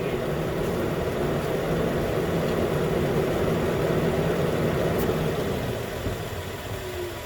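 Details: 2013 Nissan Pathfinder at 265k miles, idling after AC compressor clutch and serpentine belt replacement: smooth even idle hum at steady speed, quieter toward the end, no squeal or chirp; normal idle.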